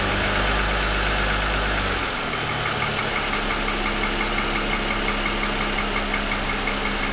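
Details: 2007 Lexus ES350, parked with hood raised, within 10 minutes of a cold start: light, fairly regular hollow tapping near three a second over idle; owner suspects piston slap that has worsened over 2.5 years.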